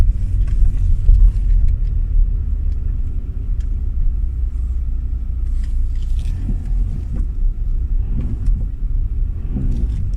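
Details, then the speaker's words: 2008 Audi A6 C6 Avant, intermittent knock from the front nearside after the strut top was replaced; dull metallic clunks over road rumble in second gear, worse going round roundabouts, tends to disappear when jacked up. "but when it's bad it really does clunk it tends to be worse going round around about but they get a little bit of a clunk like the ties up in second gear there you go clunk there we go that's bad i hope you guys can hear that plunk"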